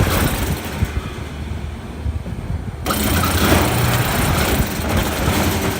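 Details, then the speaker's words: 404A refrigeration unit started after a condenser coil leak repair and vacuum: the compressor thumps in rapid start-stop bursts because a bad low pressure control chatters the contactor. "the chattering was the low pressure control machine gunning the contactor which causes the compressor to start stop start stop real fast, so that thing is bad."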